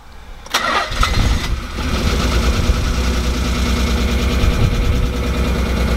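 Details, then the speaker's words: The 300, first start after retiming: it cranks, catches, then settles into an uneven, lumpy idle with a faltering beat; misfire. "sound great it does not sound great something is not right here man he is not happy"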